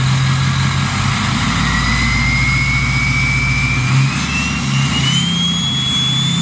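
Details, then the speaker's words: Ford 6.0 Powerstroke diesel with a new stage 1.5 63.5 mm 10-blade turbo replacing stock: deep idle with a clear high whistle climbing steadily in pitch. Strong, healthy spool with no rubbing. "So they said they'd put a 10-blade in this boy, and it should whistle real good, like a jet plane."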